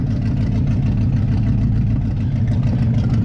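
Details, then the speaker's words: Engine with a Holley carb, still running a little rich: after the curb idle screw is reduced, a slow, even low rumble with idle around 700–800 rpm and initial timing probably about 12 degrees. Low idle speed. "so you heard engine rpm drop when we reduce that guy sounds a little low at the moment"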